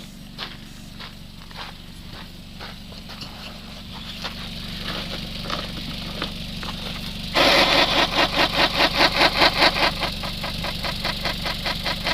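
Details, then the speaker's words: Suzuki SX4 with high-speed vibration, tire spinning on the vehicle: a regular swishing scrape two or three times a second in time with the wheel, the tire slightly out of round. "So you can hear by the cadence of the noise that it is not perfectly round."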